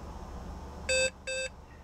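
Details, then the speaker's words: Heathkit H8 1970s computer being restored, on running a program: two long steady beeps about a fifth of a second each instead of the usual short chirps; recurring abnormal sound issue on reset, cause unknown. "oh and did you notice how that tone was kind of a couple of long beeps instead of the short beeps we heard earlier that's that sound issue coming up again"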